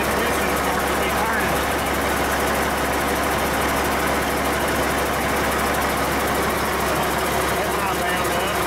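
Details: Cummins 8.3L diesel swapped into antique Hyster forklift, first run after installation, about 40 degrees in the shop; steady even diesel clatter with solid low drone, no misses or knocks; normal diesel cold start.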